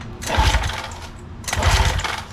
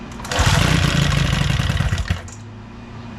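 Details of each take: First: Old outboard boat motor after new marine spark plugs and ignition coils: two short bursts of pull-cranking with no firing; spark ruled out, carburetor suspected clogged, crank no-start. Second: Old outboard boat motor after new spark plugs, new ignition coils, carburetor cleaning and new O-rings, brief test run: catches and runs with an even, rapid beat for a couple of seconds before being shut off; starts and runs.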